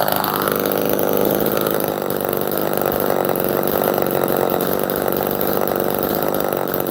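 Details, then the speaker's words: Old Homelite chainsaw, chain unsharpened about a decade: steady high buzzing two-stroke scream at even pitch, no misses or bogging; healthy, normal running. "So let's fire it up. This thing rips pretty hard. I love this little saw."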